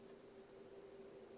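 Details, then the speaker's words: CPAP cleaner/sanitizer running inside a zipped bag with the mask: very faint, steady hum on one even tone, no rattle or cycling; runs 25 minutes then shuts itself off; normal quiet operation. "it's very faint very quiet machine it runs for 25 minutes and then it shuts itself off"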